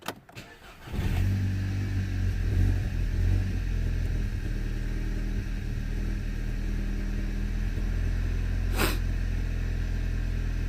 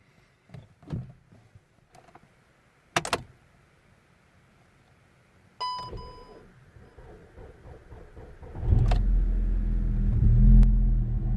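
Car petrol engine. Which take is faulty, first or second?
second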